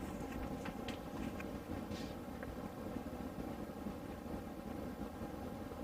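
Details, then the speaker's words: A diesel heater newly installed in a school bus conversion starts up normally. The fuel pump ticks softly while it slowly fires, then settles into a steady, even low roar with a soft hum. "on the controller that means we have the fuel pump going and if you listen really carefully you can hear the ticking that's the fuel pump not a bomb"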